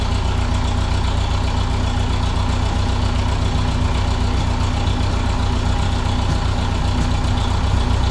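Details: 1951 Ferguson TO-30 tractor running: even, steady low thrum with no misses or knocks; settles into a clean idle.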